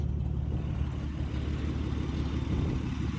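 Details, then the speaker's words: Abandoned 1951 Dodge old six-cylinder, first start after sitting, running on a new fuel pump: low, steady thrumming idle with an even beat, no knocks or stumbles; normal idle. "It's fucking sitting here running. That old Dodge 6-cylinder is running like a fucking song, ladies and gentlemen."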